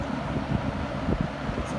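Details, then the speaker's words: 1970s Kmart Lakewood K-223 20-inch box fan with Marco motor on low speed, earlier knocking fixed with new spacer: low even rumble and steady airflow hiss, no knocking or rattle; normal running. "but thanks to a new spacer that sound is gone and runs smoothly"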